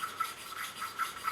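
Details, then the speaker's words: 1983 Kawasaki 750 LTD four-cylinder head rebuild, hand valve lapping with suction tool, slight pressure: quiet even rasping strokes about four a second, smooth with no gritty catch; first valve finished, seat fully lapped and looking very nice. "that we're finished with lapping this valve. And that was valve number 1. And it's actually looking very, very nice."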